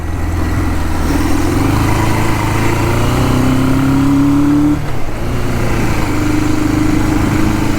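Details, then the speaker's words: 1977 Suzuki GS550 café racer after carb cleaning, first shakedown ride, climbing a hill in first gear: inline-four labours with revs rising slowly, flat and strained; heavy bog under acceleration, rider expects Seafoam to help. "Come on, baby, you can do it. You can do it. Man, it's really bogging. That seafoam will help that, I promise."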